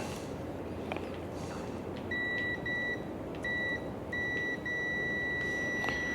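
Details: 2006 Harley-Davidson Dyna Wide Glide fuel pump tested with a multimeter in continuity mode: several short high-pitched beeps, reading about 1.1–1.3 ohms from pump power to ground; pump shorted to ground, intermittently cutting out.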